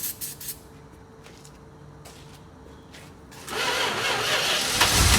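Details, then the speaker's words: 1971 Dodge Charger, all original with 26k miles, after sitting 27 years in a barn, poorly attached warm ground wire, ether tried: a few clicks then loud steady cranking but never catches; crank no start. "turned over a little bit this ground wire isn't really attached too well oh that's a bit warm that's not good she turns over"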